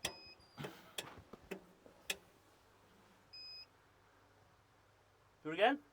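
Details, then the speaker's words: Doosan diesel excavator that had sat a while, no-start: sharp single clicks and short beeps as the relay energizes at ignition, but no cranking. The 24 V feed is not reaching the starter; starter solenoid clicks without cranking. "but this sounds like it is energizing it's a distinctive click when the ignition is thrown over"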